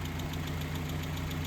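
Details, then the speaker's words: Mazda Miata engine first start after engine repair: steady idle with quick light top-end tick about seven a second, smoke briefly suspected; owner suspects oil reaching the top, sound later went normal and temperature normal. "Okay, there is no smoke. wtf is that sound? Okay, anyway, something is fucked up"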